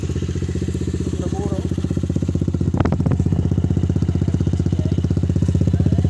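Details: Motorcycle running normally after fitting a new carburetor, no longer misfiring: firm, even beat a little over three pulses a second, picking up cleanly with no stumble or skipped firing.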